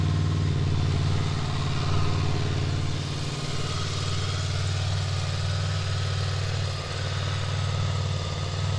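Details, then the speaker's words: Honda VFR800X Crossrunner V4 motorcycle cold start in neutral, microphone held close: low, smooth, even idle hum with a fast steady firing beat, no knocks or ticks; normal cold idle. "that's that's that's the cold start I I hope you guys can hear it there you go I'm keeping the microphone close so that's how that sounds"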